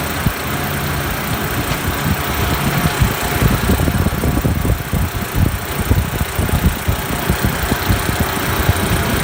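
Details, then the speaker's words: Refrigeration condensing unit on 404A after a condenser coil leak repair, compressor started up; rough stuttering rumble with rapid irregular thumps as a bad low-pressure control chatters the contactor, short-cycling the compressor. Contactor chatter causing short cycling. "That was...... the chattering was the low pressure control machine gunning the contactor which causes the compressor to start stop start stop real fast, so that thing is bad."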